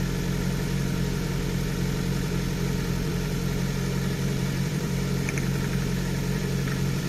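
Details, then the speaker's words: 34-year-old Nissan March Super Turbo (PT12) small four-cylinder turbo idling before its first drive, after new spark plugs and coolant: low, even hum with no stumble or miss. Idle is better and lower than usual. "it's actually idling a lot better as well it's not quite as high as it normally would be"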